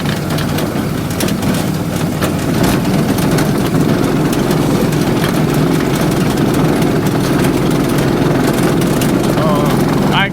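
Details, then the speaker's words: Go-kart small engine, right after motorcycle shocks and a new throttle cable were fitted, smoking: rough clattery running with a possible failing bearing knock; suspected water in the oil or badly overfilled oil and overheating; motor blown. "can hear a bearing. That's what it sounds like."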